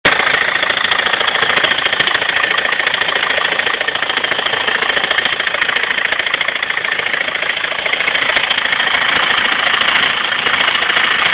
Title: BMW 320d engine problem (weird noise)